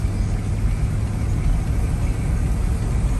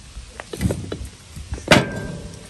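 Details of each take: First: 1999 Chevy Tahoe under way in four-wheel drive after front differential replacement: steady low road rumble, no whine, clunk or grind from the front axle; earlier noises gone, normal healthy driveline. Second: Removed old front differential from a 1999 Chevy Tahoe, yoke spun by hand: uneven clunks and gritty clicks instead of a smooth spin; badly worn, rough, noisy rotation, unlike the super-smooth replacement unit.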